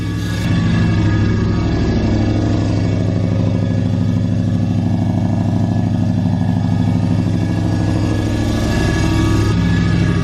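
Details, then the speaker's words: 2012 Ram 1500 Hemi, first start after cam swap (FRP Tomahawk cam, Hellcat lifters and timing chain), idling at 1500 rpm desired: hard regular rattle underneath, torque converter bolts hitting the plate; plan to remove bracket and pry plate back. "That's that plate for sure. It's just it's at 1500 RPM the whole time. So it's just sounding really bad."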